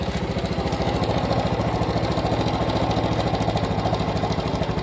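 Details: Cub Pro single-cylinder idling after an oil change meant to cure an engine noise: steady idle with a regular pulsing beat around 200 per minute and an uneven rattly edge. The abnormal noise remains, cause unclear.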